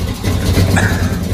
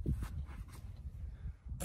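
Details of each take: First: 1979 Ford V8 being deliberately destroyed: a spark plug wire is dead, leaving it running on seven cylinders with a deep, uneven lumpy idle and a stumble in the low thump, a misfire. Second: 1979 Ford V8, started for what is planned as its last time before being deliberately blown up: quiet, then a brief crank and it catches at once into a steady, rising rumble, a healthy instant start.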